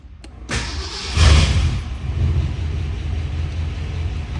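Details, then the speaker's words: 1965 Sunbeam Tiger roadster, carbureted 289 V8, given a couple of throttle taps before starting: short crank, catches at once with a rising rush and settles into an even, deep, steady idle; normal cold start. "Let's start this little roadster up and listen to her purr. Since it is a carbureted car, I'm going to give it a couple taps."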